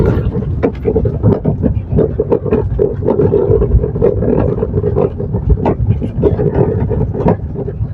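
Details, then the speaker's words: 2017 Maruti Suzuki Swift Dzire descending a hill on a rough road: irregular hollow knocks from beneath the steering on the right front, a steering rack noise traced to the rack bush under the steering box. "നമ്മൾ ഈ കുന്ന് ഇറങ്ങുന്ന സമയത്ത് ശരിക്കും sound കേൾക്കാൻ പറ്റും കണ്ടോ right സൈഡിൽ കറക്റ്റ് സൗണ്ട് കേൾക്കാം"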